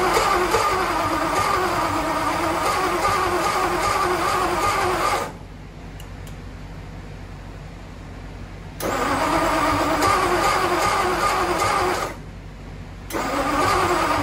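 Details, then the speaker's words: Ford Y-block V8, first start after revival, plug wires fitted for clockwise distributor but Y-block turns counterclockwise: uneven chuffing cranking bursts that never settle into a run, with pops/backfire; incorrect firing order. "okay so as you saw in those previous Clips I had a little bit of an issue I made an assumption because of the firing order that the uh distributor also spins in the same direction as the Flathead but in the Y block it's actually counterclockwise"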